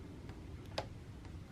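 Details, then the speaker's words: 2018 Sur Ron Light Bee MX with EMXRON controller after overheating at an enduro race, lowest speed setting: a couple of soft dry ticks and no motor whir; owner suspects the controller is dead rather than the motor. "I'm not getting anything yeah I think the controller I think I nuked the controller not the motor"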